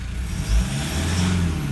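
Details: Cold idle of a 2012 Toyota 150 Prado 1KD-FTV diesel at about 150,000 km, after injector replacement with compensation codes entered but pilot learn not yet done; even, steady low rumble with no misfire stumble or knock, a healthy cold idle.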